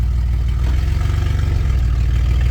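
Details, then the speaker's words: 2000 Chevy Blazer first running after a new distributor cap, rotor and coil wire, idling in gear with the ABS light on: deep, loud rumble with a puffy low pulse; owner suspects a holed muffler. "Okay, so it looks like we have a ABS light on and it sounds like maybe the muffler has got a hole in it or something, but uh she's a runner, so we can use this."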